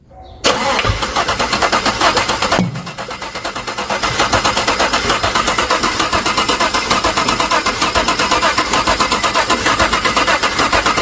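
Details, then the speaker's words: GMC/GM V8 (Yukon/Denali type) starts and idles roughly with fast ticking clatter; despite all 16 hydraulic valve lifters being replaced, the right-side second-cylinder lifter isn't working, causing misfire; smoke and oil traced to non-genuine valve seals. "तो मैंने इसको check किया तो इसका right side का जो है दूसरे सिलेंडर का जो है वाल लिफ्टर काम नहीं कर रहा"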